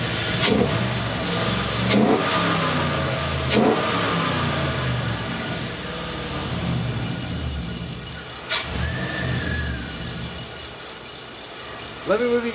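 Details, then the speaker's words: 1960 Chevy Biscayne with a swapped LS engine, no drive belt fitted, just filled with coolant: a steady idle with a thin high whistle on top from air hissing through the big throttle body and idle air control. Normal idle. "now high pitch whistling is just the big throttle body the idle air control motor kind of the air hissing through there"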